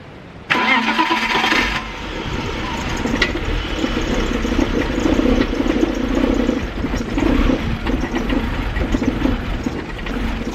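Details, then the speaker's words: 2000 BMW E46 323ci cold start: brief crank catching into an uneven, lumpy, stumbling idle; intermittent misfire, sometimes it runs alright. "So as you can tell, she's running like a bucket of pus."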